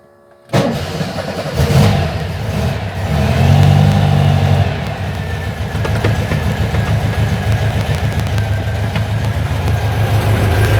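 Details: 1956 Volkswagen Beetle oval window rag-top, air-cooled, Weber carburettors, after fitting a fuel pressure regulator and gauge: quick catch after a short crank, brief rev, then a steady even idle putter with no misfire or leaks; fuel pressure steady, healthy.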